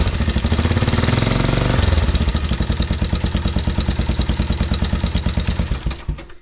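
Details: 1987 Honda Foreman TRX 350 single-cylinder, just after an oil change and carburetor cleaning, idling: loud sharp knock about twice a second, continuing as the engine dies; severe piston slap or badly misadjusted valves suspected, valves to be checked first.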